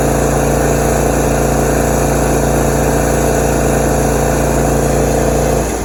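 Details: Lawn mower twin-cylinder engine that dies when the blades are engaged: uneven, lumpy running with an irregular loping beat and missing pulses, then it dies away. It runs on only one cylinder, with no mid-range and no idle.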